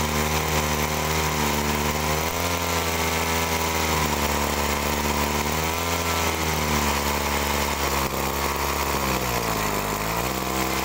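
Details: Agricultural sprayer two-stroke, original carburetor after adjustment: revs unevenly, note sags and stumbles ("ngok") on throttle; mechanic judges mixture too lean, turns screw counterclockwise, still not fixed, suspects carburetor pump.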